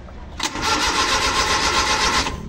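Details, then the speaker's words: Rusco multicab, hard starting in the morning despite two carburetor top overhauls, ignition spark present: steady starter churning about two seconds, never catches; hard starting from leaking carburetor accelerator pump diaphragm. "So ayan meron siyang kuryente pero hard starting pa rin."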